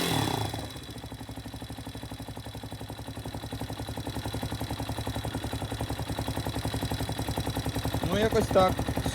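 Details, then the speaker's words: Spark SP250 D3 (166FMM, Loncin RE250) single-cylinder at about 3500, started after valve clearance adjustment (0.05/0.06 mm feelers); even, steady putter with clean regular beat and no ticking; normal idle. "Все зібрав, все працює. Клапани з поршнем не зустрілись. Я считаю, це успех."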